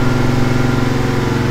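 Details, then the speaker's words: Freshly built V8 on a dyno during break-in, loaded to about 140 ft-lb while nearing thermostat temperature. Deep, even firing pulse holds steady under load with no knocks or rattles: normal running under load. "you hear it coming up now it's making it work so we're just giving it some loow you hear it working like that"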